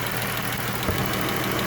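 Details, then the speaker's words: Pentastar 3.6 L V6 at idle with a rocker-arm ticking complaint, listened to straight down the centre to find which side is louder. Fast, light, regular ticking over a smooth idle, likely top end, but neither side sounds louder, so the source is uncertain. "it's hard to tell guys because you hear the straight down center but you can't hear it louder on either side"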